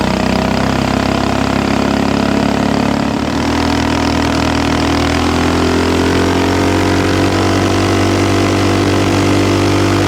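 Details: Axis/Coleman M200 mini bike, 196cc single, tuned 22mm Mikuni carb with needle raised, exhaust, governor delete, flat out at about 31 mph GPS max: howl holds a flat high pitch and stops climbing; owner suspects stock valve springs floating.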